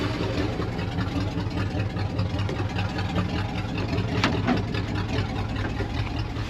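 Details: 1966 Dodge W200 Power Wagon, first run in 25+ years, open header, oil pressure 60: loud open-pipe idle with an uneven, stumbling beat that never settles; rough idle, possibly missing a couple cylinders.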